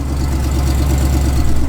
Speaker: oh yeah you lit up you feel prime you guys can hear that little exhaust leak